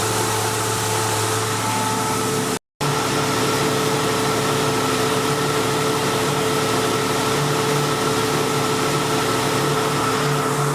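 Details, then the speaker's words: 1999 Jeep Cherokee Sport at steady idle with AC on max after PB Blaster applied to the AC compressor, the squeak's source: even hum and faint whine, startup squeak gone. "So now I had the AC switch on max when I started and no squeak on startup. And now you can hear uh all of that has gone away."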